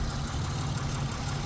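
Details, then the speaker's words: 2006 Pontiac G6 3.5 V6 with check engine code P0128, fluids checked: smooth, even low rumble at idle with no knocks, ticks or misses; engine running fine. "Sounds like it's running pretty decent. I did check all the fluids when it came in."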